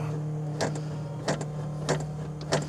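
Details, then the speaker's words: Coupe with a fresh battery, unstarted for about a month, key on before starting: steady low electric hum with four soft clicks about every two-thirds of a second; fuel pump priming normally. "all right let's see got fuel pump I can hear it pumping going to take a few"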